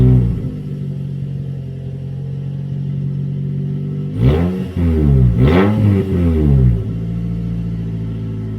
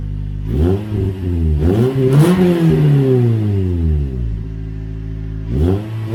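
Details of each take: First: Toyota Corolla run with the muffler removed before a Borla exhaust install: deep booming idle that roars and crackles on each throttle blip, the raw unmuffled exhaust note. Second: Toyota Corolla (non-S) with newly installed Borla exhaust, first startup: deep, smooth rumble rising and falling with revs, not too loud, no rasp or rattle; healthy exhaust note.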